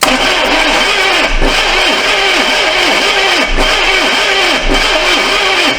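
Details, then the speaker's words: Neglected 1982 Chevy Silverado C10 on a fresh battery, distributor loosened, carburetor needle suspected stuck: repeated slow cranking about once a second, turns over but won't fire; suspected no fuel and a failing starter. "Sounds like it's trying to crank."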